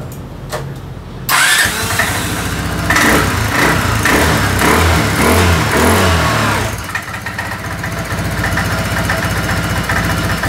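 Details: Kymco Xciting 300 scooter, engine started right after spark plug replacement (old plug's gap slightly wide): starter whirs briefly, engine catches cleanly and settles into a steady, even idle with no misfire; healthy start.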